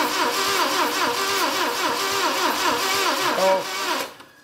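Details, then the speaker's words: Saab Sonett V4, first start attempt in 20 years: the starter cranks at a slow, uneven rhythm with hollow puffing. Air is blowing out the top, indicating a stuck valve; the rocker assembly was pulled to free it. "we got some uh stuff coming out some air coming out the top means you got a stuck"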